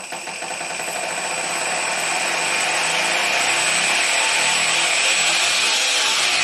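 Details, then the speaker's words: Stepper motor on a cheap TB6600 analog driver without microstepping: a hiss while merely holding, then rough, raspy whirring with thin whistles when stepping at moderate speed. The same motor was quiet on the DM556 digital driver. "you hear there's this hissing when it's just holding even without any movement it makes a lot of noise and then when i turn it on the steps are very rough so there's no micro stepping right now"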